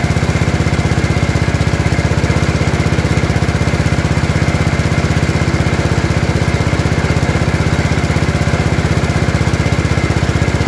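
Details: Gravely 814 tractor that sat outside for years, restarted just after an oil change: steady single-cylinder thumping of about four beats a second with no misses. Running cleanly.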